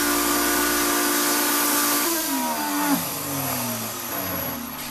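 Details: Shop-Vac motor: rough, hissing grinding whine, pitch sagging and wobbling as it winds down, with very little suction; owner suspects dust drawn through the motor before fitting a dust separator ruined it.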